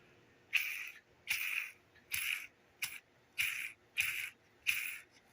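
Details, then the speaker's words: Cheap roller lifter for a 1973 Camaro LT1 build, cleaned with xylene, spun by hand: repeated short gritty high-pitched rasps, inconsistent and noisier than the smooth control lifters; roller bearing still sticking. "that one's got a little different noise to it and this guy not too bad but it's not consistent and they're noisier than the other ones"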